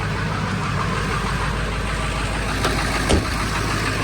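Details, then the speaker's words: High-mileage, well-maintained early 1999 Ford 7.3 Powerstroke diesel just after a cold start: even, steady diesel clatter at idle with no skips, misses or uneven beats; oil pressure up; idling healthily. "You can hear it. It's not skipping. Sounds healthy. Sounds happy."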